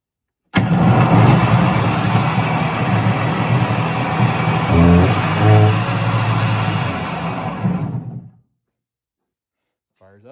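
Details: Kawasaki JS 440 stand-up jetski after carburetor rebuild, in a closed garage: engine catches straight away and runs at a fast, even buzzing idle for about eight seconds before shutting off; sounds healthy, throttle sticking.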